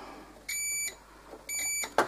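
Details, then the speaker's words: Odwerk 180 mm angle grinder that would not switch on because of a faulty power switch: two clean, steady high-pitched tester beeps confirm the repaired switch now conducts when closed. "Мы можем это проверить. Оно работает."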